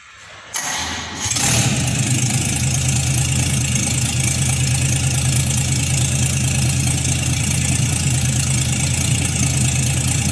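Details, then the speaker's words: 1952 Chevrolet Styleline 261 inline-six, first start after full rebuild with mostly new internals, rebuilt carburetor, oil pressure not yet up; cranks briefly, catches, settles to steady even low idle, no misses or knocks; normal. "Acho que já vai pegar lenta, que esse carburador aí eu mandei fazer ele, né? E vamos ver se vai dar pressão de óleo."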